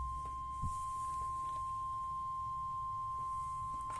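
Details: Vintage 1970s Nikko TRM-50 amplifier after repair, temperature-sensor wires reglued: a clean, steady tone of about one kilohertz with no hum, crackle or dropouts; works normally, though slight crossover distortion shows on one channel.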